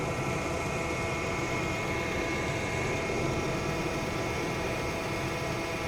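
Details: 2002 Chevrolet Astro just after thermostat replacement for overheating, coolant topped off, started to check leaks before warming up: even, unchanging idle with a constant low drone and no ticking, knocking or stumbling; normal idle.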